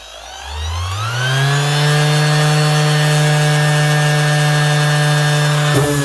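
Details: Makita BO6030 hook-and-loop sander that customer says runs very slow, with an odd smell: motor winds up to a steady low hum then briefly sags; running slow, speed controller suspected rather than bearings or armature.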